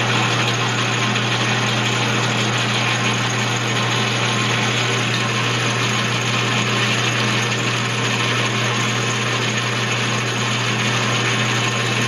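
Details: Atlas 12-inch lathe after fitting bushings to the change gears: gears engaged give a steady even whir with a constant low hum and light gear mesh, no knocks or clatter; gear train running smoothly.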